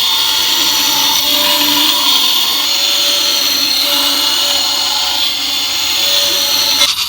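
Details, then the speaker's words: Vintage aircraft attitude-indicator gyroscope precessing and tumbling: high rough whirring spin with gritty, uneven edge; owner thinks it isn't reaching correct speed, most likely because the bearings are worn out. "I think because it's not getting up to the correct speed and you know that's most likely because of the bearings and knackers"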